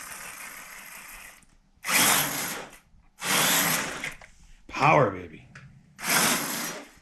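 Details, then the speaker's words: Axial Gen1 6x6 RC truck after drivetrain repairs and a spur gear fix: short bursts of clean, even electric whine on throttle blips with no grinding or clicking, running smooth, normal drivetrain operation. "man this baby moves all right she's running smooth she might be ready for the trail"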